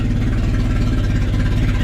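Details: Honda Civic wagon, second start on pump gas after work near the water pump housing, throttle very loose: low, lumpy idle pulses and wavers unevenly with no steady beat; idling rough after start.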